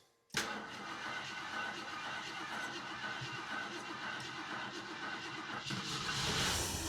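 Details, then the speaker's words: 1981 Jeep Wagoneer Limited, sat 20+ years, carb float suspected stuck and flooded, near-dead battery: catches after brief crank, shows oil pressure, settles into steady even idle without knocks or misses; runs cleanly on its own. "That thing idles by itself flawlessly. Well, I shouldn't say flawlessly, Can never be too sure."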